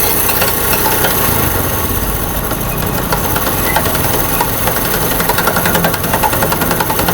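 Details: Honda CD70 motorcycle running in first gear at slight throttle: loud, uneven clattering knock from a broken first-gear tooth; third gear gives a rubbing noise, second and fourth quiet; engine to be opened to replace gears.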